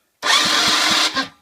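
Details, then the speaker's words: Peugeot Speedfight moped with no-spark CDI wiring problem, plug earthed on metal, ignition on, brake held: about a second of crackling hiss with sharp snaps roughly four a second; spark present, wiring loom now connected properly. "we have spark oh it's a very nice talk about he's one head and that's why I took it off before it all up so we've got spark which is brilliant that means that the wiring loom is connected properly"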